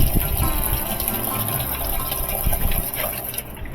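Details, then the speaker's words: Whirlpool-style top-load washer with the cold inlet valve faulty, causing squealing and dribbling fill: the hot water valve is selected alone and fills with a strong, steady rush, no squeal. The hot inlet valve is working normally. "so we turn the cold water valve off one more click to the right turns on this light which is going to be the hot water valve and when we start at we've got plenty of water"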